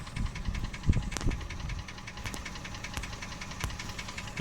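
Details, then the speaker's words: Toyota 1KR-FE three-cylinder engine under the hood: sharp irregular knocks over a rough idle, the shaking blamed on bad fuel and the ECU not relearning after a reset; knock constant, mechanics suspect the crankshaft, cause unconfirmed. "В общем, это полная чушь. Оно стучит. Как это повлияет на поездку? Нисколько. Эта проклятая штука всё время стучит."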